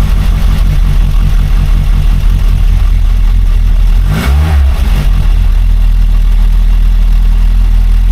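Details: Rover P6 after replacing a faulty timing chain tensioner, briefly run without the cooling system: steady, even low idle with no rattle or chatter; timing chain now quiet and healthy.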